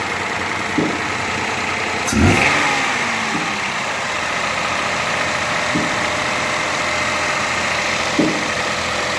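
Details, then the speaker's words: 2007 Toyota Vitz CVT, brought in for starting trouble and misfiring, after repair: the engine turns over, catches and settles into a steady, even idle with a brief blip, no stumbles or misses; normal idle. "माशाल्लाह का मुकम्मल हो गया गाड़ी start और India में firing भी नहीं कर रहा"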